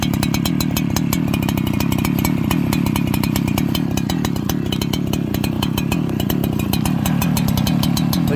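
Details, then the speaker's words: Farmertec 288xp kit two-stroke chainsaw on its first start, still breaking in, carburettor not yet tuned: putters along at a very slow, lumpy idle, barely keeping itself running; low idle speed, idle later turned up. "thing's idling at no rpm listen to how the card work"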